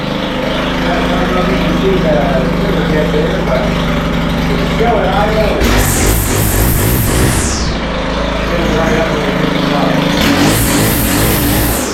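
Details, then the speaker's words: Stihl FS111R line trimmer after clutch repair, started on choke with primer: idles unevenly, revs in short bursts but won't hold clean full throttle; symptoms indicate lean top-end (high-speed) mixture needing carburetor adjustment. "the symptoms are seeing where it doesn't want to run Full Throttle typically indicate that it's a little lean on the top end"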